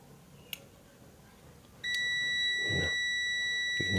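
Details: Electric iron that no longer heats, with its cable already tested good: a multimeter continuity test across the temperature rotary switch gives a clean, steady high beep for a couple of seconds; the switch has continuity and is healthy.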